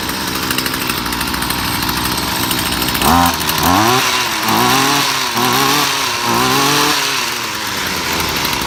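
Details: Weed eater after replacing ignition coil, spark plug and carburetor mesh to fix no-spark no-start: two-stroke buzzes steadily, snaps up cleanly through quick throttle blips and settles back; starts and revs normally.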